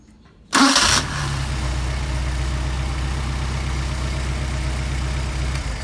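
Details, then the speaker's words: Mercedes 190SL with freshly rebuilt Solex carburetors, hot start: warm engine catches instantly on short crank into steady, even idle; starts and runs healthy. "got some really nice carburetors for you I'm going to try a hot start hot"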